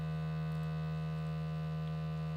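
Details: LG UP970 4K Blu-ray player playing a disc: constant loud low buzzing from the disc drive, linked to laser movement and disc spin; a known complaint in reviews, cause not confirmed.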